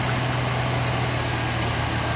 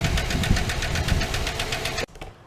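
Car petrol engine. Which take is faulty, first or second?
second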